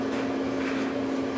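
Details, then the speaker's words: Whirlpool 29in gas dryer drive motor run-tested directly with a test cord to the wall outlet: a steady, even hum with no grinding, squeal or stalling. "if the motor starts and runs okay then the motor is good if the motor won't start or it has a hard time starting the motor is bad and must be replaced"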